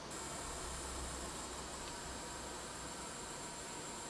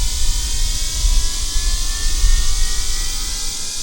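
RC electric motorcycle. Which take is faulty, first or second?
first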